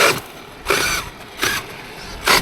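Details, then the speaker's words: Traxxas X-Maxx 8S on 20/46 gearing with a heavier Proline body and taller wheels, at full power: sharp rattling ratchet bursts about every 0.8 seconds as the pinion skips on the spur. The mesh had come away, and the pinion later came off the motor shaft. "so it sounds like the mesh has come slightly away for whatever reason"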